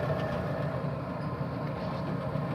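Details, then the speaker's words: Old furnace blower after replacing the worn fan bearings that had been squeaking, pulleys aligned, belt somewhat loose: smooth, steady low hum with even airflow and no squeal, knock or rumble. Normal blower operation. "hurry belt is kind of loose but it seems to be working fine even if the smaller pulley"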